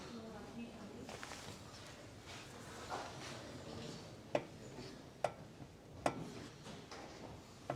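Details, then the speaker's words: 1984 Ford Falcon XE Fairmont ESP barn find, raised front wheel rocked by hand gives sharp uneven metallic clunks from wheel bearing preload play; ball joints show no movement. "so there is a little bit of movement there you can hear that clunky but that'll be in the wheel bearing preload"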